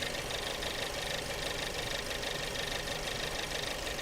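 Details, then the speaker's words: Petrol engine under misfire diagnosis: idle with a fast, dry rattle of about three a second, louder than a normal pump tick; loud high-pressure fuel pump rattle. "I hear the rattling of that pump though like crazy"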